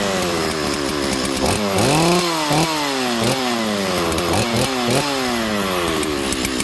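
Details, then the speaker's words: Chainsaw, unused for about a year, started and blipped: revs rise and fall unevenly, burbling and sagging instead of screaming cleanly; running rich, cause unknown, owner considers a new carburetor. "you hear how rich it is there friends not even pitting it I don't know why so I'll probably have to go to still one of these days and see how much a carburetor is for this saw"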